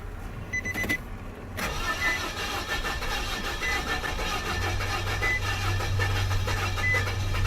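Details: 2007 Nissan Frontier 2.5 L, bought as bad engine, sat a long time, old black oil, known-good battery: starter churns for several seconds with throttle blipped before the engine finally catches and runs unevenly; long crank, noise expected to clear once oil circulates.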